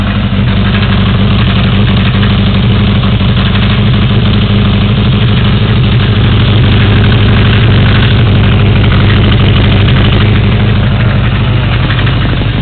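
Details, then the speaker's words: 1982 Yamaha XJ550 Maxim four-cylinder, about 12,475 miles; carbs rebuilt and rejetted from 1.12 to 1.25, K&N pod filters, airbox removed. Deep, even idle while warming up, with no misses, knocks or hunting. Normal idle. "had uh the carbs rebuilt, rejetted, um K&N pod filters put on there, the airbox removed, and let's start it up."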